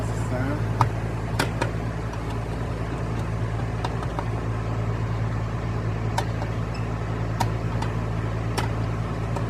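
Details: AC condenser on a no-cooling call at a Katy home stuck at 80°; compressor fired up after being off, inrush measured at 120 amps; steady low compressor hum with fan drone and a few sharp ticks; unit running normally.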